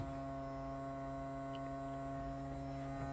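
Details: 2007 Yamaha GP1300R personal watercraft after exhaust install and Riva EFI fuel controller fitting, battery connected, cranking without spark plug wires to check controller and dash: clean steady low hum with faint buzz, no crackle or dropouts; normal electrical hum at key-on.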